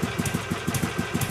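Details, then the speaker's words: 2006 Harley Sportster converted from 883 to 1200 with exhaust and intake done, running just above idle then light throttle: smooth, even, slightly lopsided low thump, light normal ticking, tame idle; normal. "as you can hear the idle's pretty tame barely raised my voice and once you give it a little"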